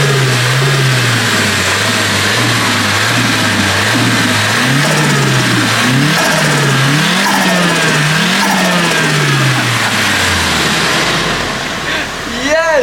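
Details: Warm Nissan Silvia SR20DET with its blow-off valve blocked by a door stopper and hose clamp, no front mount intercooler or pod filter, air intake opened: repeated free revs, each lift-off bringing a fast chattering turbo flutter from the intake.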